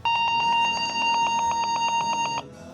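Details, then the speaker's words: Dell Inspiron 3542 laptop at power-on: loud, steady continuous high beep; continuous power-on beep from failed hard disk. "let's hear it again as you can hear it's very loud and I have lowered the volume a bit but still it's loud so why does it happen usually it happens because something might be short-circuited so that's why the laptop is warning us to switch it off to prevent any damage"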